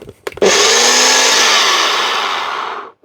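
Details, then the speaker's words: Charity-shop blender after refitting the jug: high steady motor whir then smooth spin-down with no rattle, sounds healthy. "That one certainly sounds better."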